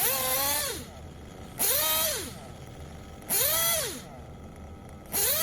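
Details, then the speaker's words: Tekno buggy with a Blok 21bm nitro engine: repeated high-pitched revs rising to a clean, crisp top-end scream after the top-end needle was leaned in several bites; the slight change in top-end pitch shows the top end is correctly tuned. "can hear that slight difference in the top-end pitch and that's where you want it"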